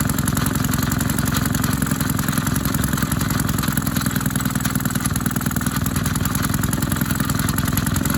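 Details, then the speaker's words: Maytag 72 twin-cylinder engine driving a power hacksaw, rebuilt from parts of several engines: once warmed up it chugs with an uneven, skipping beat and missed pops as one worn cylinder misfires. "all right you hear that poop poop that's when after it warms up that's when it it starts skipping because one of these cylinders is worn worse"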